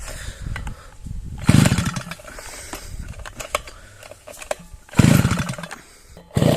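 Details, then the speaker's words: Svityaz BT-430 petrol brushcutter that stalled and won't restart after refuelling, choke tried: three short pulls rasp and die without catching; spark plug found wet again each time, engine flooding; no start. "бачите вся свічка знову мокра що ж друзі не хоче"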